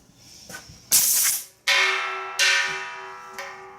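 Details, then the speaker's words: Shop air hose from compressor feeding an animatronic robot drummer: short sharp hiss then ringing as the quick-disconnect is unhooked, the air stored in the hose dumping out (the female side's ball seals the tank side); a 1/2-inch NPT shutoff valve is planned to stop this. "But when I do unhook this, the air that is stored in this hose is going to dump out."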